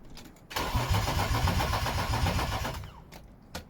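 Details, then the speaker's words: BMW E36 Coupe with freshly installed M52B28 2.8 six from a Z3, fuel pump relay removed to build oil pressure before firing: starter churns evenly at about four beats a second for two seconds, never catches. Crank, no start, no fuel. "Oh, I've got a good idea. Up if I put the fuel pump relay in. Right, fuel pump relay's in. That's why I took it out, because I wanted to crank it and not let it fire until it built some oil pressure."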